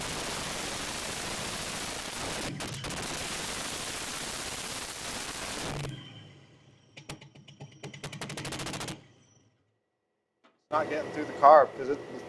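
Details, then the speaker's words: 1969 Chevy half-ton pickup engine, fire-damaged and sitting about 40 years, after restoring spark: runs steadily a few seconds, fades, pops and sputters, then dies. It stays running only if the bowl is filled via the vent tube or brake clean is sprayed in. "So, the good news is the engine will run, but the bad news is the engine won't stay running unless we fill the bowl up from the vent tube or I keep spraying brake clean down the yap of the carburetor."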